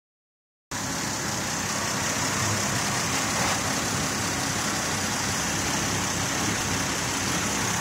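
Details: Mazda 626 with a stored code: steady idle with an uneven, loping pulse about twice a second, vibration felt inside the car; rough idle of unknown cause.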